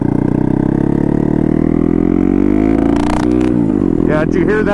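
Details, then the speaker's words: Turbocharged CBR-engine-swapped Honda Grom, first ride, cold day, helmet microphone: smooth rising exhaust note suddenly stutters and breaks up in first gear; with no load the turbo doesn't spool well and it runs very rich. "that time it has issues in first gear like it'll want to break up like that because there's just no load so the turbo doesn't spool up that great so it just goes really rich"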